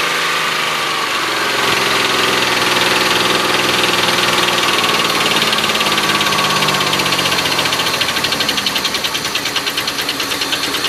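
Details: Oldsmobile Silhouette van, jump-started after sitting with a dead battery: rough, uneven idle with a fast ticking knock about three per second and stumbling misfire; knock fades when revved; later found to be a loose rocker arm bolt causing the noise and misfire.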